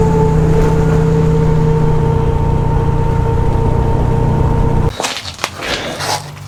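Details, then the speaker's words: 1971 Chevrolet Chevelle GM 10-bolt 8.2 rear axle, test drive after new pinion bearings, crush sleeve eliminator and backlash set to 8.6 thou, carrier bearings not yet replaced: faint steady whine under road noise while driving, stopping on coast; differential whine persists. "So test drive was pretty successful, except this diff is still noisy, and this is my last ditch attempt to do anything with it until I just ignore it until we LS swap this and that thing blows up."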